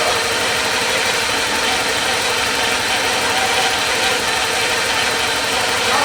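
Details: 1984 Porsche 944 revived after years sitting in a field: even, steady idle with no knocks or misses and a consistent tone; runs and sounds good, though the cooling fans aren't coming on.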